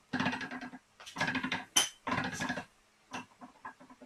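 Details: Gearbox on the bench during a 6-speed swap into a 5-speed case, being turned: short bursts of metallic rasping and clatter from a partly engaged synchro grinding.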